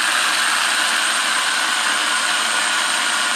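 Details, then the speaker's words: RC car, motor moved away from the spur gear while running: a steady, smooth high electric whine with no tight grinding. It quietens down and gets no quieter with further movement. "see there, guys, how it quietens down? Now, if you keep moving it away, it doesn't get any quieter."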